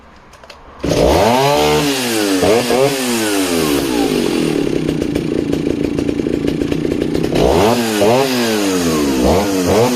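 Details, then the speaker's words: 1960s Stihl 08S two-stroke chainsaw, 21" bar, 0.404" chain, cutting: revs scream up, then hold a steady lower note through the cut without bogging. Heavy crank holds RPM; normal cutting under load. "But what's really impressive on the 08s as well is just the weight in the crank. When they're up to speed, the head's up to speed, it just doesn't let go. Just holds on to those RPM."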